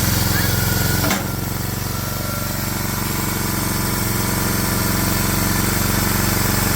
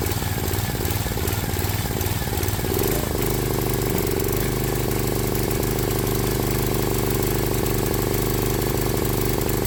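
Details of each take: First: Swisher 22-ton log splitter with a 7 hp Briggs & Stratton engine, restarted after carburetor cleaning to cure surging, now a steady, even single-cylinder putter holding one speed with no hunting; normal smooth idle, fix successful. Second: Briggs & Stratton 7 hp Intech single-cylinder on a Swisher 22-ton log splitter, before carburetor cleaning; idle hunts, with rpm and pitch drifting up and down; surging idle, suspected carburetor fault; air filter also dirty.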